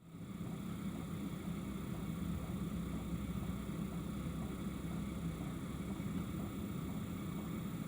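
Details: Campervan diesel heater running: steady low hum of the heater fan with a faint, even ticking from the fuel pump. Normal running heater.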